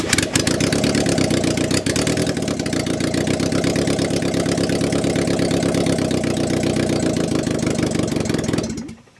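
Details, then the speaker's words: Mazda Miata VVT engine first start after head rebuild with shaved cylinder head for higher compression, in 118-degree heat on a jumper pack: catches and settles into a steady, even idle with clean firing and no knocks or ticks; normal idle. "I mean, the cylinder head alone had over 100 pieces that have got to be put back into it and then put back on the car, and just to feel the success of hearing it idle for 5 seconds."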